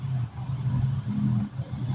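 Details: Mitsubishi Mirage G4 idling warm with AC on: low rumble rises and sags about every half second with check engine light; idle fluctuation from harness chafed by vibration, shorting; fine when cold.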